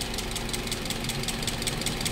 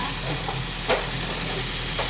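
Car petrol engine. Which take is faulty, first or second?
first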